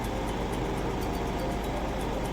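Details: Suzuki Swift after defective ECU repair fixed a crank/no-start, warming up with lost-ECM-communication codes now history: steady even low hum with no knocks or stumbles. Normal idle.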